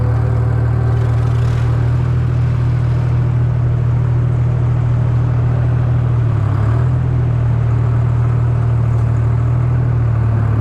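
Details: 1953 Oliver 99 gas 4-speed tractor: deep even thrum around four beats a second, no misses or knocks; running healthy after trouble starting.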